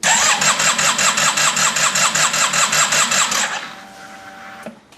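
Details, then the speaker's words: Crank, no start while fitting a new highflowfuel.com fuel pump, with the pump not connected. Gauge reads about 38–40 lb then trips to zero. Starter churns steadily, about thirteen compression pulses in three seconds, and never catches. "well it's not going to start let's do that again"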